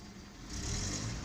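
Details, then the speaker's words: VW Jetta after hack fix for cylinder 4 misfire P0304; quiet start then revs climb cleanly and evenly without stumble, responsive; normal revving. "Okay, now that was very smooth,"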